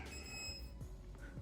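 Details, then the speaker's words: Tuttio Soleil 01 electric pit bike, first power-on after assembly with a fully charged battery; a short bright electronic chirp sounds that the owner says is typical of a Fardriver controller: normal controller startup beep. "Definitely sounds like a far driver controller."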